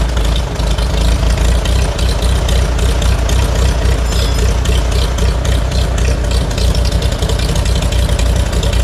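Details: Farmall A after Zenith carburetor clean and rebuild: engine catches and settles into a fairly steady low idle, a bit uneven but running on its own, no knocking.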